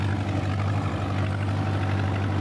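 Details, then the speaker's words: John Deere 2010 tractor after a welded PTO gearbox housing repair, mowing with a bush hog: deep, even diesel drone under load, no squeal or gear whine; PTO drive smooth and healthy. "the tractor runs loud anyway I couldn't hear anything it seemed to be running very very smooth"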